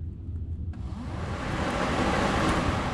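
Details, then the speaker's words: 2003 VW New Beetle 1.9L TDI ALH diesel, manual: after replacing the old failed fans and jumpering temperature-sensor pins one and two for slow speed, the radiator cooling fans come on with a smooth, steady rush of air, running normally at low speed. "You can see that you can hear they come on just fine. So, the old fans were indeed shot."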